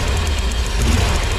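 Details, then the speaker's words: V8 truck at idle: lumpy, uneven rumble with dropped beats, misfires on cylinders two and four from bad spark plug wires that look fine; plugs, wires and fuel pressure regulator to be replaced. "there's cylinder two and four now on this vehicle that are actually you know the wires appear to be in good shape but they are definitely bad as you can tell there see the two different misfires going on"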